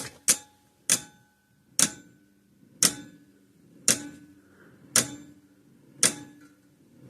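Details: 50+ year old Sears 6V battery electric fence charger, points cleaned and a contact re-soldered; sharp single clicks roughly once a second, slightly uneven spacing with a faint hum between; it is pulsing but the switch seems intermittent; slow, irregular ticking.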